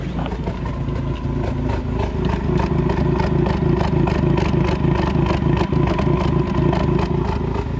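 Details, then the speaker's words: 2020 Ford Mustang EcoBoost HPP A10, MAPerformance Stage 1 short block, Ford Performance camshafts, 12 psi wastegate, ghost cam tune locking cams at overlap: choppy, uneven idle, about 200 lopes a minute over a deep rumble, diesel-like chop. "by doing that we're going to lock the cams in the overlap position maximum effort maximum EcoBoost chop hit it holy"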